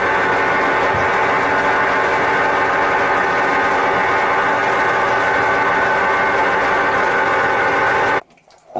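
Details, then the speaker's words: Sears Kenmore Elite (Oasis) top-load washer: loud steady whirring roar like a jet engine, getting louder over time, with no low thump, also from the agitator; worn drive bearings, replaced along with the drive shaft. "so it's getting louder and louder that it is sounds like a whirring of jet engine and also the agitator in"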